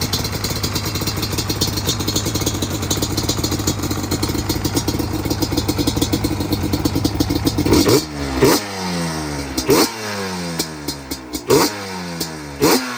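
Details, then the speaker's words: Carbureted customer motorcycle after repair with idle and air screws set, engine moderately warm: busy even idle, then sharp throttle blips rising and falling cleanly without popping or stumbling. Normal idle and revving. "So we're gonna start it up, take it for a rip, see what it does. It's still pretty warm, it ain't cold."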